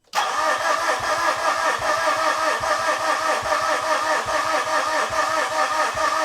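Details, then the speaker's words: 2013 Mitsubishi Fuso FG, 4P10 diesel not starting for over a year: steady starter cranking, even compression beats about seventy a minute, never fires; fuel was gushing out of a loose injector line connection. "Yeah, I completely missed the fuel gushing out of that injector connection."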